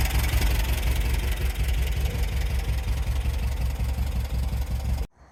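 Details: VW sandrail air-cooled flat-four after replacing the split vacuum hose: steady, even chatter with firm low thrum and no misfire gaps; all four cylinders firing, running really well.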